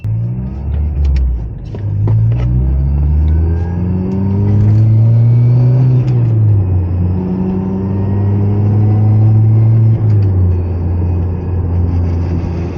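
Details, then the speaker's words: ND Mazda Miata manual after CAE Ultra Shifter install, accelerating: faint whine rising with throttle and load plus slight vibration, like straight-cut gears; transmission always made it, now less muffled; gear whine. "It sounds like I have straight-cut gears, I think. So as you hear we get higher in throttle, you can hear it like shaking a little bit, a little bit of vibration. But it I think it the common sound here is this it just starts to whine."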